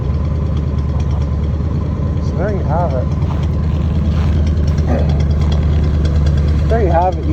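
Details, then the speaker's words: 1976 Chevy 454 big-block V8 idling after a cold start at about -28°C (feels mid -30s), battery charged, block heater plugged in 1.5 hours; deep, steady low idle, no misses or knocks; little smoke, small exhaust leak near muffler; healthy cold idle. "You know, you you you plug in a big block, have a reasonably warm battery charged up, and even in the minus30s, a 1976 big block can roar to life."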